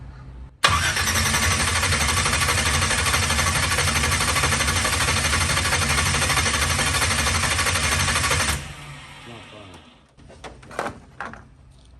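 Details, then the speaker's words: Big block Chevy Nova V8, first fire-up with updated ignition: starter churns about three beats per second for eight seconds, engine never catches; wrong one of two side-by-side ignition wires was hooked up, so no ignition signal. "So that means this is the wire I should have hooked up rather than this one. But who has two of them side by side?"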